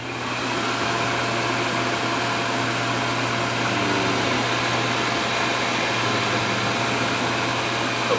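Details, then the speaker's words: Gas furnace switched on at the thermostat during a pressure switch test: steady airy whoosh of the inducer fan spinning up and holding even speed, no rattles or grinding; normal furnace startup. "So we're just gonna, we're gonna turn it on. Give it that click. You're just gonna turn on your thermostat."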